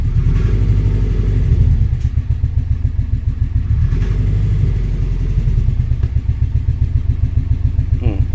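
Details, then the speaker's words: 1998 Subaru Forester S with EJ20, after timing repair, idled down after a rev while testing the floppy-shifter transmission: rough idle with uneven rattly clatter at three to four beats a second; owner suspects transmission. "Oh, that didn't sound okay."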